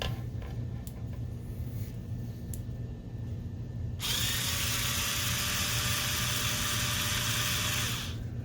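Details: Rechargeable bathroom spin scrub brush, after soldering in a replacement tactile button harvested from an old DVD player: a few clicks, then steady high whir holding even until stop; motor runs normally.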